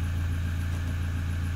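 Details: Toyota Hilux diesel, cold at about 29° coolant temp, during diagnostic check: deep, even idle with steady low beat and no knocks or misses; injector readings look like new; normal cold idle.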